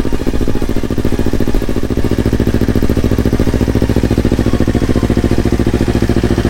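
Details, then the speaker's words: Yamaha R25 fitted with Yamaha R3 engine and Akrapovic exhaust, first start after install: steady even idle with quick regular exhaust pulse, no knocks or rattles; smooth, healthy twin. "Akhirnya nyala juga motornya, sudah selesai pemasangannya. Nih knalpotnya pakai Akra dulu. Suara sih nggak beda jauh ya. Blok R3 halus suaranya."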